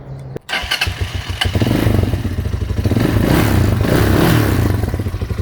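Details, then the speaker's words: RPS Magician 250 Chinese CG-style single with over 10,000 miles: catches quickly, settles into an even thump and revs up and back down cleanly without stumbling, no smoke; still runs good. "Blinkers, but it still runs good. Let's fire it up, Chris."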